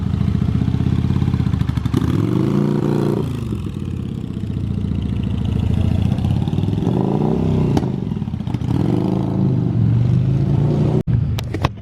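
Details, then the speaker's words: 1985 Yamaha Virago 750 V-twin, blipped repeatedly: each rev climbs, flattens and sags back, ending with a pop, and it won't go past about 4000-4500 rpm; owner suspects it is leaning out, unconfirmed. "it doesn't really want to go past 4 000 4500 rpms which makes me think that she's leaning out"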